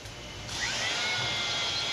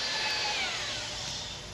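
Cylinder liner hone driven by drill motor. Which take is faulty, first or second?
second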